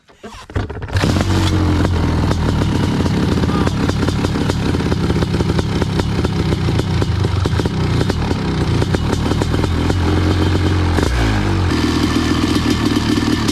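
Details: Honda CR500 two-stroke powered Schwinn trike, jetted lean to a 170 main jet: crisp steady burble, even beat, no misfire or rattle; clean bill of health, normal running.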